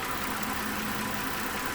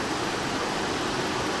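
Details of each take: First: 2012 Mazda 6 3.7-litre after cooling fan module replacement, idling about 4–5 minutes: steady, even moderate-speed air rush over a quiet idle, with no surging or full-speed roar; normal operation, and the new module fixed it. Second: 2012 Mazda 6 3.7 L, cool engine just started: cooling fan ramps almost instantly to a loud, steady airy roar, pulsing and speeding up, also running briefly after key-off; coolant temperature normal; faulty fan control module overdriving fan, fixed by replacing module.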